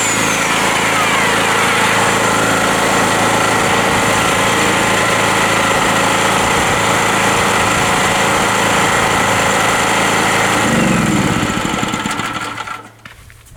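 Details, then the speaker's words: Rotakt generator, hot and started without choke, loaded by an 1800 W Bosch electric chainsaw cutting wood: engine holds a steady, even drone with no sagging or hunting, then shuts down, handling the load normally. "so it works really well the generator this chainsaw has 1800w and it works very well"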